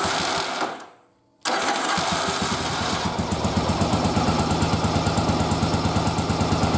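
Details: Yamaha XV920 V-twin, old carburetors after bench sync, during running sync with manometer tubes: restarts and settles into uneven lumpy idle near three pulses a second; carburetors not yet synchronized.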